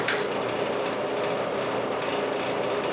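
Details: Clothes dryer reassembled after new felt padding was glued in: a steady, even drum whoosh with no scraping, thumping or squeal, running like new.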